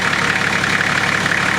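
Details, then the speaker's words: Nissan GQ Patrol diesel at idle after fixing a suspected injector knock: steady, even diesel clatter with no heavy knock standing out; engine knock gone, sounds healthy. "thank you to what it sounds like now that engine knock injector knot whatever it is gone"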